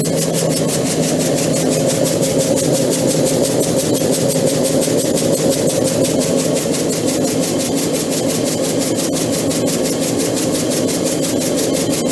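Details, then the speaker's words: EPKU-1.7 compressor block, repaired and tested, previously knocking in cylinders and throwing oil: steady, even piston thump at constant pace with no knock or clatter; runs smooth and healthy. "Значить, дивіться, ваш компресор вже готовий, випробуваний, зібраний та готовий до відправки."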